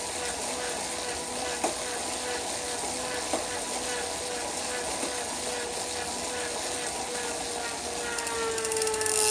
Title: Wahoo kickr popping noise